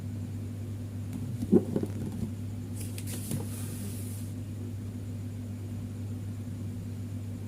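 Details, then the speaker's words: Fridge compressor GFF57AA (1/6 HP plus or 1/5 HP) with a 1/5 HP overload, replugged for a trip test: a steady low hum continues past 1 minute with no click-off, though it should trip within about 20–44 s; risks burning out the compressor. "Satu menit sudah ya, 1 menit, tidak ada tanda-tanda. Ini kalau dibiarkan kompresor bisa jebol ini ya."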